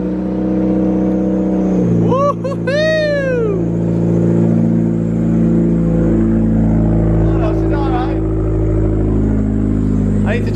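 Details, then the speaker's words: Mitsubishi Evo, not started in a while, cold start: a few sharp falling-pitch chirps over rough cold idle; drive belt squeaks when cold and needs changing. "need to change that belt. Yeah. Squeaks when it's cold."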